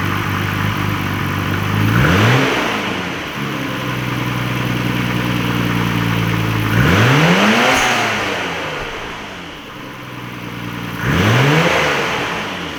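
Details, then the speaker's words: Nissan R32 Skyline GT-R first start after installing Greddy complete suction kit intake piping: catches cleanly, smooth idle, then several crisp quick blips rising and falling; healthy. "So I guess the last thing we need to do is start it up and see if the damn thing runs."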